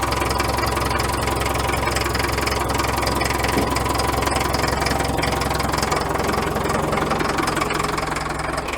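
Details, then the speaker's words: Caterpillar 922B loader diesel that sat over a year, cold-started after about 20 seconds of glow plugs: even, steady idle clatter with a regular beat and no misses or knocks; running healthy. "all right there's about 20 seconds of glow plugs let's give her a go contact this thing runs excellent"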